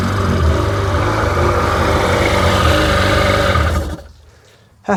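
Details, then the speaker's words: Rebuilt Sea-Doo GTX DI 951 two-stroke, first run on the hose with cooling water connected, no driveshaft fitted; steady busy burble holding even four seconds before shutdown, no misses or knocks; normal idle. "But first start fired right up and smooth."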